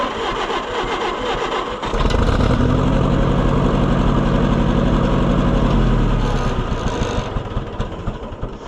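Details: Oliver 550 tractor that won't run: cranks with a lumpy, loping beat of about four pulses a second; possibly a spark plug not firing, cause not yet known.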